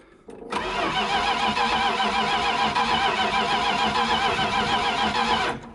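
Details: 1973 Dodge D100 cranked for the first time in 10 years on a fresh battery, fuel not yet supplied: steady, even cranking at about three and a half turns per second for five seconds with no catch; starter and compression sound healthy.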